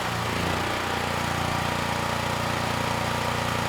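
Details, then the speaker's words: Generac GP5500 generator, single-cylinder, running smoothly unloaded (about 4.1% THD), then drops noticeably in pitch under a 2,000 W load and stays low; speed sags too much for a light load, cause suspected, not confirmed. "Yeah, the speed dropped a little more than I'd like for such a light load. Let's try another 500. Yeah, it sounds like it's slowing down a little bit too much."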